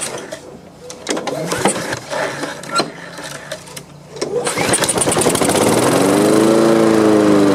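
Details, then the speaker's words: Honda HRX217 mower that sat outside for years, pull-started on its old fuel after carb cleaner spray, with debris blowing out: handling noise, then it catches and settles into a steady rising run, to the owner's surprise. Owner plans fresh gas and a carb cleaning. "I was really surprised that it cranked like that at all."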